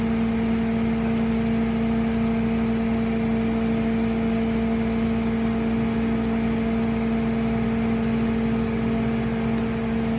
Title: Toyota four runner bad transmission